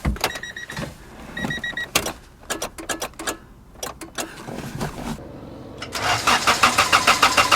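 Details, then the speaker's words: $300 tow-yard Honda Integra (DA) with JDM engine swap, first start attempt on jumper battery: clicks, then strong steady cranking that never fires; healthy starter and battery but no fuel, traced to a hidden fuel pump cutoff switch. "Ooh, good battery, crank's good. Maybe I'll check the oil first."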